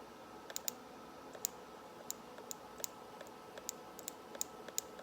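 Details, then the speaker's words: BMW 335xi boost solenoids removed after 30FE/3100 low boost mode code, bench-tested with 12 volts: sharp, crisp, consistent clicks each time power is applied; both old solenoids switch normally. "all right well they both seem to be functioning fine"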